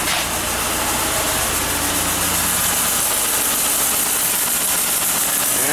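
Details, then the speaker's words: 2007 Ford Escape 3.0L V6 running after fuel filter change and priming the line: steady, even idle with a hiss on top and no stumble or misfire; normal idle. "Okay, there we go. It's primed. Turned over the car. And it's running."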